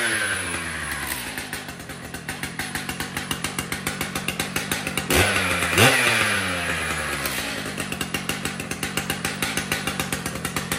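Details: Brand-new Stihl MS 881 chainsaw: loud two-stroke buzz with quick, steady firing pulses and a clean rise and fall on the throttle; runs healthy.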